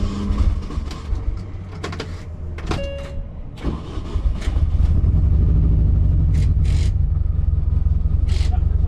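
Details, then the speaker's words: Track car engine after startup: idle thumps unevenly about two beats a second, stumbling as if running on three cylinders; misfire, not knocking, owner suspects old or cracked spark plugs. "Still misfiring though, isn't it? Oh yeah, that's misfired that. Yeah, it is, that's only like three cylinders."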